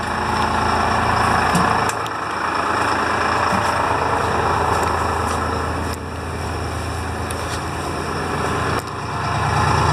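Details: Detroit Diesel fire truck after charging-system repair (faulty voltmeter loop wire), started instantly; steady, even diesel idle with low rumble, no knocks or misses, reading 13.09 V charging; engine running normally.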